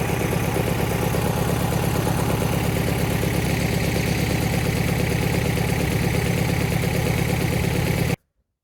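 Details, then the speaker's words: Vauxhall Astra VXR engine after oil cooler lines popped off while driving and it ran on low oil pressure, refilled with oil: rough idle with an uneven knocking beat about three a second; internals damaged, needs a forged rebuild. "yeah, safe to say it's a bit broken. I guess all that I can do is send it off to Rusty Auto, or you know, whatever shop can get it in really to get it forged, and see what the damage is, get it rebuilt, and hopefully it comes back stronger, at least in time for one of the 2 track days I've got booked."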